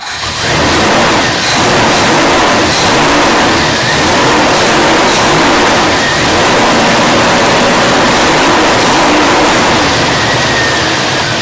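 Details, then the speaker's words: Old carbureted lunch truck on a cold start with the choke on, days after gasoline had leaked into its crankcase. Loud, slightly uneven, stumbling note; rough cold running. Owner thinks it may be running a little lean, but this is unconfirmed. "So right now we're just looking at how it's doing for cold start and see if the choke operation is going to be good enough. So far so good. It's a little stumbly, but it sounds like it's starting to come around, or it's going to stall."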